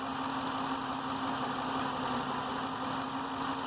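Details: 2013 Dodge Challenger R/T 5.7 Hemi at warm idle after about an hour of driving: light, fast, uneven tick under the engine note; owner suspects lifter tick, says it is not injector noise, unconfirmed.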